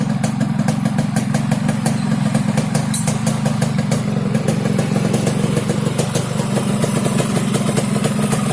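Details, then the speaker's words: Yamaha RX King two-stroke at idle, rough rasping with a fast rattly pulse and deep throaty burble, snoring instead of ticking over cleanly; carburetor noted slightly wet. "Oke, langsung saja kita hidupin ya. Oke, ini adalah suara ngorok Ereking aja ya, Lux Mame ya."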